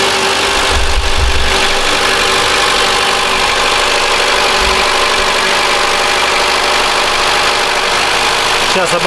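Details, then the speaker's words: 2013 Mitsubishi ASX 1.8 petrol, CVT, 448,000 km, after the alternator pulley was replaced. Cold engine at a fast high idle with a smooth hum and no squeal, rattle or chirp from the belt end; normal. "Но в данный момент никакого постороннего звука нет."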